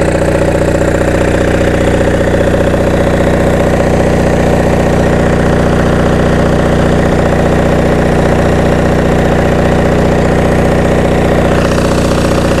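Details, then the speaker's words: Onan MDJE diesel generator with Magneciter, rusty unit on temporary cooling; runs with a steady, even low drone, regular beat and no knocks or misses, showing about 9 to 10 volts residual on E1 and E2; runs smooth. "Well, let it run for a while. Sounds good."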